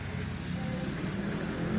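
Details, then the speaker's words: Isuzu Trooper after ECU replacement and cleaning, check engine light gone: steady, even low rumble at idle with no knocks or misses; engine running smoothly, ready for test drive. "Okay na siya, malinis na. Napalitan na lahat. Bago."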